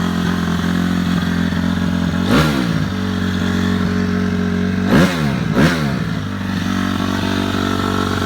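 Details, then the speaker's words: Cold 2006 Honda CRF250F single at about 25°F in Wisconsin, before teardown; starts good, steady even idle with smooth regular low thump, no knocks or misses, clean bike in need of some maintenance. "I just wanted to fire this up so you can hear it run um bike is clean starts good runs 's good idle's good"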